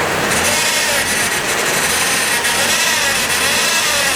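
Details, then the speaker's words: Chrysler PT Cruiser with slipping, hard, erratic shifting transmission, before adding Lucas Transmission Fix: thin steady whine over engine, absent at idle, rising when throttle is blipped; attributed to transmission fluid pump, resembling a bad power steering pump; unconfirmed. "Now that whining noise is coming from our transmission fluid pump, but that noise is very similar to a bad power steering pump."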